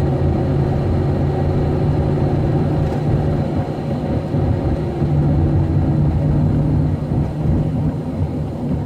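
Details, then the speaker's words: Van under acceleration at low speed: loud, steady engine drone held at high revs as it pulls with extremely low power, flaring under load, fine above 30 mph; owner suspects fuel or transmission, unconfirmed. "it's moving but it's just extreme low power with uh a lot an engine noise"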